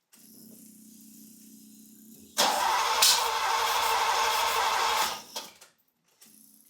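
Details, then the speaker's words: Ferrari 308 GTS after cylinder head rebuild, first start attempt, air box off: starter turns engine over steadily but it never fires; fuel confirmed flowing; owner later suspects distributor rotor/timing set on wrong contact row. "it's turning over I know there's fuel going through because I checked last night and I can hear it trickling into the other tank but so far no sign of Life whatsoever"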